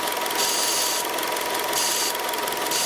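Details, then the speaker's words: 2002 Honda CR-V with code P1077, after the starter was replaced: a vacuum hose was left disconnected, and a loud airy hiss over the idle swells and eases about once a second as the open port sucks at a finger; vacuum leak. "you can hear it it sucks my finger so actually I I already know the problem"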